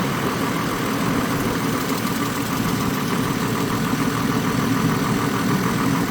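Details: 2002 GMC Envoy 4.2 after fan clutch replacement, engine not yet warm: steady, even idle with smooth fan whoosh, no knocks, rattles or squeals; fan slowing itself, engine and new fan clutch running normally.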